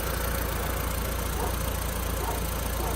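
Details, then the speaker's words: Audi TT 1.8 turbo, barn-stored 8 years, fuel system rebuilt, running on its own after the first start: low, steady, very quiet idle with even pulses around three and a half per second, no misses or knocks; normal idle. "Now, I don't know what these 1.8s are supposed to sound like. This is quiet as any motor I've ever heard."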